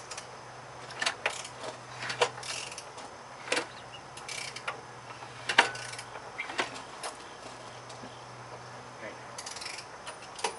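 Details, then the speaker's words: 1997 Chevy Cavalier 2.2L engine, which threw a rod while idling, turned over by hand with a ratchet while stopped: irregular metallic clunks and ratchet clicks from a loose connecting rod knocking around the crankcase; engine to be pulled. "okay you can easily hear that connection rod clunking around the crankcase"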